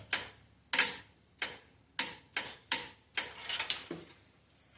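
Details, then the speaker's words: Sharp, crisp clicks at irregular intervals as the new AC compressor clutch is jumpered straight to battery positive and snaps in, confirming normal clutch engagement. "I just want to touch it and you should be able to hear it clicking when that AC pump clutch engages"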